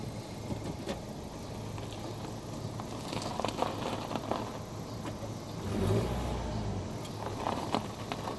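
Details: 2018 Honda Accord Sport 1.5T at idle while steering: scattered sharp pops and clicks over a low idling engine; abnormal steering popping noise, cause suspected, not confirmed.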